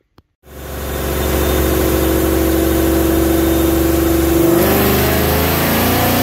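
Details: 2019 Mustang GT with JLT intake, long-tube headers, 93 octane tune, on chassis dyno after replacing bad spark plugs that caused heavy top-end misfire: smooth even wide-open pull, pitch climbing steadily, no stumble or popping.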